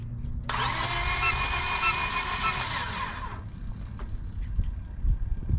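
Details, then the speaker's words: Used 7th-gen Honda Civic after a head job: starter churns about three seconds with uneven puffing and popping out the air cleaner but never catches; cam timing retarded, intake valve opening as the piston rises. "I can tell you right now the timing's off you can tell huh yeah cuz when when you turn the key you hear it popping out the air cleaner"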